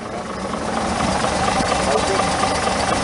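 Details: Chevrolet Monza after a new AC oil filter and 3.5 quarts of oil refill; it had clattered after running out of oil. Now a steady, even, quiet idle with no clatter or knocking.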